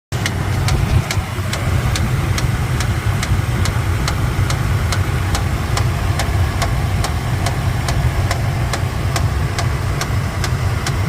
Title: 2013 tundra lower engine knocking sound?